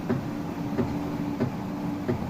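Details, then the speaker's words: Miele dishwasher, drain pump pushing water hard: steady low hum with rhythmic sloshing thumps about every two-thirds of a second; drain pump running normally and strongly. "une petite mémère franchement neuve sur le papier et je peux vous dire que la pompe de vidange elle débite énormément"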